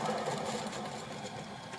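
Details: Fast, rough whir with a faint whine from a worn-bearing alternator that still worked, loudest around 2500 rpm; a brand-new replacement alternator is silent by comparison.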